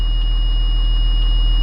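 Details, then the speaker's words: Blue Bird school bus diesel with Allison transmission, after repair for being stuck in second gear, idling: constant high-pitched warning tone with check transmission light; new TCM needs programming. "actually there's a light here that says check trends check transmission interesting"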